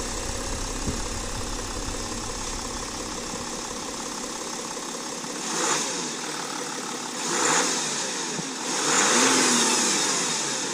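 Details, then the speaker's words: 2013 Porsche Cayenne Diesel, 3.0 L turbodiesel V6, 240 hp, engine bay, start-up: smooth, even idle with a couple of clean free revs that rise and settle evenly. Healthy engine, no knocks. "That is the big torque diesel V6 in action."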